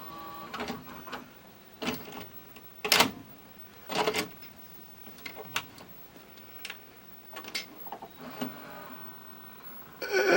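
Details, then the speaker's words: Admiral TV/VCR combo loading a tape: irregular whirring and clacking bursts as the mechanism labors to pull the tape in, then it ejects it; the VCR tape load mechanism is straining. "Ooh, sounds like it's laboring. Yep, kicks it. It'll kick it out."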